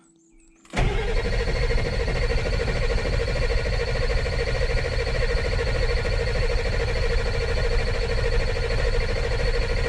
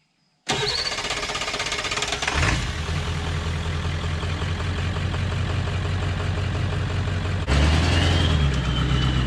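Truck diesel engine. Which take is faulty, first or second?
first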